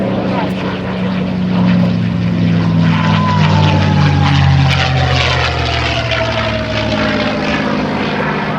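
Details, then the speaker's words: P-51D Mustang V-12 engine in an aerobatic flyby, roar with a thin whistle sliding down in pitch as it passes; normal whistle from airflow through the radiator scoop under the mid-fuselage. "hear that whistling sound? That whistling sound actually is because of airflow through the radiator scoop. The radiator scoop is located underneath the airplane about halfway back on the fuselage."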